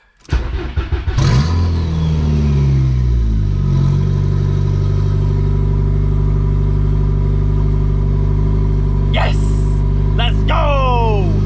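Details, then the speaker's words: VW Golf 3 with a 1.8T swap on a 3-inch open downpipe, after capping and tightening the vacuum leaks: fires at once and settles to a steady, even, loud deep idle with no stumble or hiss, running healthy. "but yo starts right up now there's not a massive leak on the intake idle's no problem feels good feels good"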